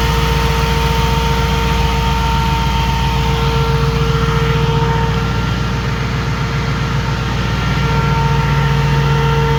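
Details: 2005 Jeep Grand Cherokee 5.7 HEMI V8 idling with AC on after a hydraulic-to-16-inch SPAL electric fan conversion: steady, even idle with smooth fan whoosh and constant tones, no knocks or surges; normal idle.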